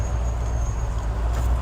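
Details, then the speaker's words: 1964 Ford F100 with new headers and exhaust, 4-barrel carburetor, bed full of tires, off throttle at a stoplight: very low, soft, even rumble, barely audible as running; normal quiet idle. "But when you let off at idle, you can barely tell it's running. So it goes from being pretty rowdy to it sounds like the truck just died, which I can deal with."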